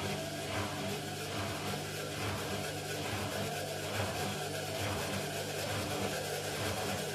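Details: Indesit mini washing machine on an unbalanced spin: loud steady low rumble with a lopsided thump about once a second; worn drum bearings suspected, not confirmed.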